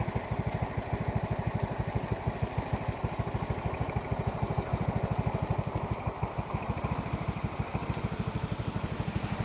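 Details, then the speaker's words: Yamaha Mio single-cylinder scooter after repair: even, steady low idle pulses about three per second, no knocks or rattles; normal idle. "Performanya bagus, sekarang sudah menyenangkan."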